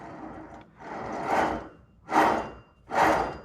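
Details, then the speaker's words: C6 Corvette wheel bearing removed and turned by hand gives rough rasping grinds in bursts; it should be quiet and smooth, so it is worn out and needs replacing. "not really a good bearing anymore this should be quiet and smooth so it's time to be replaced"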